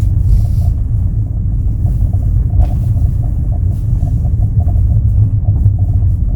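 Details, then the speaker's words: Kia Ray at 338,000 km in winter, driving under acceleration: heavy deep rumble drowning the engine, loud whenever the accelerator is pressed and quieter once warmed up; cause unknown. "우리도 조십 주행 중에도 엑셀만 밟으면 소리가 꽤 크게 나고 멈출 거 같아요"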